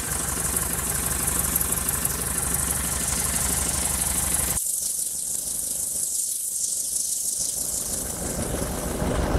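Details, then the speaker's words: Kit plane engine just started after 14 years unrun: steady, even idle with light regular beat and propeller wash, no misses or knocks; volts, amps and good oil pressure, fuel pressure not reading; normal idle. "All right, so we got volts, we got amps, we got good oil pressure. You can let it run for a little bit."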